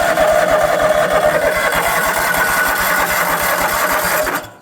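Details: John Deere X540 riding mower, about 20 years of neglect: starter tapped to spin it, engine cranks in a steady chug about three times a second but never fires; fuel hose off carburetor shows no fuel coming out. Cranking no-start, fuel delivery suspected.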